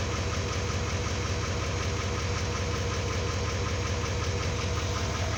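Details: 2018 GMC Sierra 3500 L5P Duramax diesel idling after fuel filter change and lift-pump priming: steady even clatter over a low rumble, no misses or odd knocks, no leaks; in-tank pump running but masked; normal idle.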